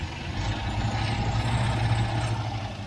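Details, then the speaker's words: 1967 MGB Mk1 idling rough: brake cleaner sprayed at the intake manifold flange makes idle surge sharply, revealing a vacuum leak there; manifolds to be removed and gasket inspected. "I don't know if you can hear that, but there's definitely a leak down there. I think that's what my problem is."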